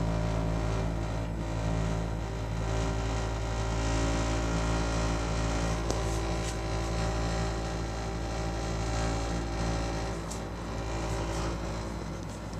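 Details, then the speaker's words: Baxi combi boiler heard indoors after the thermostat calls for heat. A loud, steady low drone with a rough, rattling throb: the burner is vibrating and running noisily. A new burner is planned. "so on Monday were coming next week we're gonna get a brand new burner and then I'll make a video and see what it sounds like"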